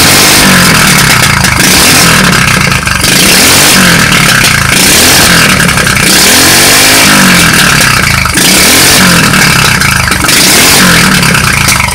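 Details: Street-legal go kart that sat 5 years, first start after fitting a new carburetor and a temporary push-mower fuel tank: the small engine snaps up and falls back through repeated revs, picking up cleanly without stumbling; normal running.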